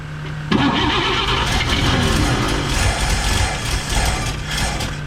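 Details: 1954 Chevrolet 3100 pickup, rebuilt engine stored ~15–17 years in a chicken coop; battery recharged, choke pulled out: uneven cranking churn at three to four beats a second, never catching; owner calls the carburettor junk, slight backfire followed.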